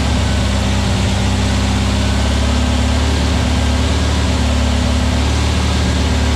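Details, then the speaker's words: New VW Beetle 1679cc single-port flat-four, Scat C25 cam, dual Empi ITC carbs, first fire-up during 20-minute cam break-in: loud steady fast-idle drone, smooth and even, no tapping, knocking or hunting; timing spot on, no leaks, carbs need tuning; normal running. "I tell you what, I'm pretty impressed though. Got timing spot on for the first fire up. Man, that was awesome."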